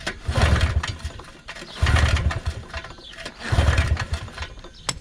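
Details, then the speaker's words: 1980s Polaris 250cc two-stroke ATV after sitting for years, compression test with key off and throttle wide open: three strong, even pull-start cranking bursts with steady chuffing. Reads about 135 psi, enough to run. "Yeah, we're already at like 135. So 135 lbs of compression. and it's definitely able to run on that."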